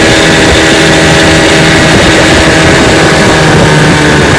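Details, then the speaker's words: 1955 Johnson Seahorse 10 hp outboard, restored with rebuilt ignition, carburetor and gearcase, pushing a 14 ft john boat about 18 mph: loud, steady high-revving buzz with water and wind rush; normal running under load. "she's a good one he pushes my john boat my 14 foot john boat here about 18 miles an hour which is awesome for 10 horsepower"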